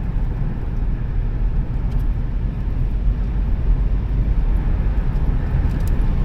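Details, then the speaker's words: Minivan "Blondie" at interstate speed on nice new tires just swapped in: steady low road rumble, no thump, shake or rattle; smooth highway cruise. "Yeah, that's mint. Not a noise, not a shake, not a rattle, nothing. Yeah, that feels mint."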